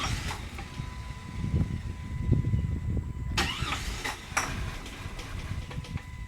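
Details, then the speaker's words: 1997 Jeep Grand Cherokee Laredo, 4.0 inline-six: wiggling the loose engine computer connector by the firewall makes the idling engine catch roughly, sag and die, then restart and die again; intermittent stalling and backfiring from a poor connector connection. "you can wiggle that connector the Jeep will usually i watch see just died go ahead and fight back up and it died again and this never gets old"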